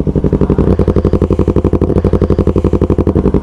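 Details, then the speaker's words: Yamaha R3 with full-system exhaust after fitting an SRB resonator to cure excessive noise and backfire. Steady, even idling pulses about four a second, round and not harsh, no popping; rounder, quieter, healthy exhaust note. "mga amigo mas gumanda yung tunog ng tambutso natin mga amigo mas bumilog siya"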